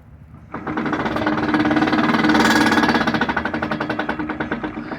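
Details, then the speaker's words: 2000 Chevy Tahoe Limited that sat for years at a dealership: fast, heavy hammering clatter at about four knocks a second that swells and fades with wheel speed. The rear end is blown, which is why it was parked. Failed rear differential. "Yeah, guys, the rear end's blown."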